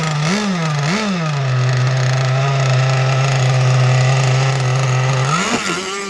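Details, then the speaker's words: 30cc two-stroke (carb thought to be 2048, needles 1¼ turns out, stock, fairly rich) on an RC T-44 catamaran at its first run, below full speed: two quick revs, then a steady high buzz, soft and burbly, thought to be running a touch wet, on the wrong prop. "I think it's running a touch wet, but it's also running slow and it's not running the right prop."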